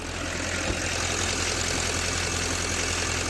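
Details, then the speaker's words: GM LML diesel pickup after AC compressor clutch plate repair: steady, even idle with AC on full blast and compressor engaged, already blowing cold; no hiccups, cycling or clatter, so the repaired clutch holds fine. "Crank the AC up, turn it on full blast. Obviously you guys can't feel the cold air, but already blowing cold."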